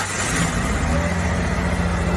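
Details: 1995 Ford F-150 after rear fuel pump replacement and rigged wiring connector, switched from front to rear tank: steady, deep, even note with no sputter or fuel starvation; running healthy.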